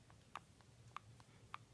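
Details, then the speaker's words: Newly purchased Nexus 9 tablet, back panel pressed or handled: three sharp, clean clicks about six tenths of a second apart in a quiet room; back panel popping. "you see that also the panel makes noise when you hit it or when you handle it you can see that it makes this popping noise"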